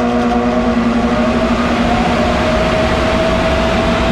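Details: 1991 Snyder General dedicated-horizontal office furnace with new capacitor fitted, burner lit: loud steady drone with whiny tone that hardly shifts, not much better; motor thought too far gone, blower motor replacement recommended.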